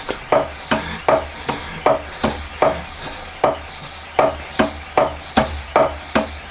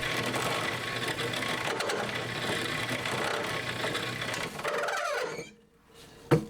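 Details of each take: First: Homemade honing tool for a Honda Monkey 4-cylinder engine conversion, run on a milling machine with the joint removed: regular strokes around seventy-five per minute, clean scrubbing with no chatter; smooth honing. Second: Homemade cylinder hone in a drill press, Honda Monkey four-cylinder engine project: fast rattling chatter over the spindle hum; stones bouncing because spindle speed is too high, later cured on a milling machine with the universal joint removed.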